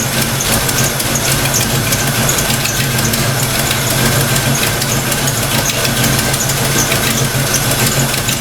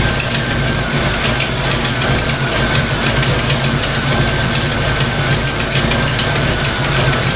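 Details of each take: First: Fox Mustang V8 after thermostat install and distributor timing set, TFI plug reconnected: steady, even idle with no misses or surges, running better than before; normal idle. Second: Fox-body Mustang V8 after a thermostat install, radiator cap off, rough idle with fast, even light clacking from the valve train. Earlier oil-pressure loss and metal shavings; owner suspects stock rockers, not confirmed.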